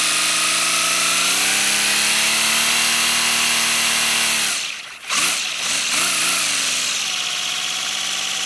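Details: First-build 3D-printed PLA V12 model engine on compressed air, freshly lubricated, no exhaust port yet: fast, steady hiss-driven chatter rising in pitch as pressure builds, a brief stumble, then picks back up; running smoothly.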